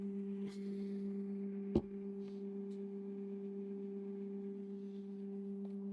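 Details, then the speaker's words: Creality K1C 3D printer running its resonance calibration: loud, steady hum at one low pitch with a clear overtone as the axes shake; this is normal, though loud. "this is very annoying noise it's making it's quite loud can you [Music] hear it's very noisy I don't understand why it's so noisy oh probably shouldn't do that during residance"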